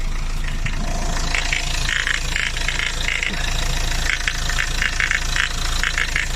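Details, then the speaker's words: Renault Laguna 3 at idle: irregular crunchy knocking about three times a second under the hood that seems to come from the AC. It worsens when lights or other load are switched on and isn't heard at the alternator. The owner replaced the AC bearing; AC compressor knocking. "Привет друзья отчетливо какой-то хруст непонятно откуда такое ощущение что из кондиционера вот сейчас похрустывает просто похрустывает"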